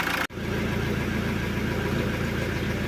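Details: Alfa Romeo 147 1.9 JTD 8-valve diesel with P1320 crank-no-start-when-hot complaint, hot restart after repair, battery a little low: short crank, catches at once and settles into a steady, even idle with no stumble; clean hot start.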